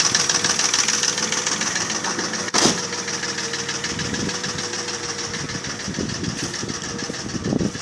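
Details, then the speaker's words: Mercedes ML320 with the 3.2 M112 V6 (also written M122) at 300,000 km: hollow, uneven knocking about 3–4 times a second over a rough idle, from pistons slapping in scored cylinder bores. Replacing bearings, tensioner, rollers, camshafts, chain and lifters didn't cure it. "за задиров поршня болтаться в гильзах и вот этот стук издается такой характерный"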